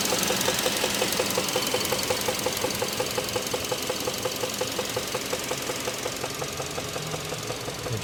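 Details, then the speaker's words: 2016 Kia Optima GDI, 78,000 miles, check engine light with code P1326: steady, sharp knock at idle, about three per second, heard up close at the lower left of the engine near the pulleys and belts; owner unsure whether lifter, rod or bearing. "I'm here with a 2016 Kia Optima GDI engine, 78,000 miles. Check engine light on, air code P1326, accompanied by an audible engine knocking noise. Not a tick, but a knock, coming from the lower left area of the engine near the pulleys and belts."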